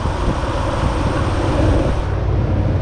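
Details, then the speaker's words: 2008 Dodge Ram 1500 5.7 Hemi after belt tensioner replacement for a slight belt squeak: smooth, steady engine hum with no squeal or chirp from the belt, only some wind noise; the belt drive sounds fine. "let's go fire it up see if our little minute squeak is fixed see how that one just stays nice and solid"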